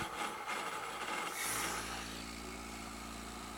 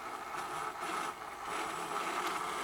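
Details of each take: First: Pump test rig: vapor bubble from about 28 inHg suction clears once the tank valve reopens to restore pressure, and the rough crackling rush gives way to a steady, even pump hum as running smooths out. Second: Pump test with suction pressure around 26–28 inches of mercury vacuum: steady hissing, rushing noise with a band near 1 kHz as flow is lost, a big vapor bubble collects in the flow meter, pump running nearly dry from vapor or air.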